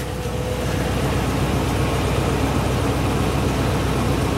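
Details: Dually truck engine running after sitting: steady low rumble with an even beat, no knocks or misses; runs healthy.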